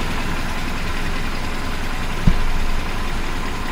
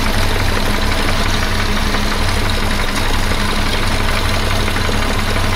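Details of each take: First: 1976 BMW 2002 E10 idling after the air pump was removed, engine back on a new battery after sitting about a month: a smooth, even low idle with no misses, knocks or whine, just one brief bump. The owner says it sounds nicer without the air pump. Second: 1976 BMW 2002, restored and run after sitting about a month, with a slight leak noted: steady idle with a constant low whirring drone from the belt-driven smog air pump; the owner plans to remove the noisy pump.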